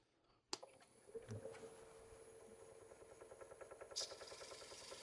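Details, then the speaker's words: Powermatic lathe turning a thin-walled 18-inch wooden tray, scraper shear cut: faint, fast, even chatter under the scraping cut, steady with the spin, from a small knot vibrating; workpiece vibration from knot, not a big deal. "Now I if you can hear the vibration that I'm getting, there's a little bit of a knot right here that's just vibrating. That's all. Which is not a big deal."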